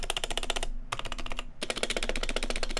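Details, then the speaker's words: Fast typing on an off-the-shelf keyboard with loose, clacky keystrokes; poorly damped stock stabilizers rattle on the long keys, unlike a custom build with lubed, clipped screw-in stabilizers. "your stabilizers probably sound really bad like this. There's a ton of rattle you can hear, right?"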